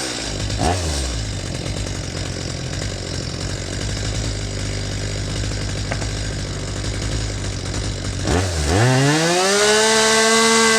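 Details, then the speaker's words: Stihl MS250 chainsaw, setting high-speed mixture screw at full throttle after idle set: steady scream, then revs sag and bog as the screw goes past peak lean, before climbing back; lean bog, richened slightly. "so same thing you could see how I turned in that high mixture screw until the saw reached its peak and started to go over the edge and bogged down"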